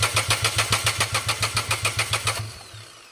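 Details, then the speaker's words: Renault Kwid (DTCs 033564, 0313F8, late starting, heavy misfire) cranks and catches unevenly for a couple of seconds then stalls again, with injectors dead and replacement injector faulty; an ignition coil was already replaced. "फिर से मर गया एक बार।"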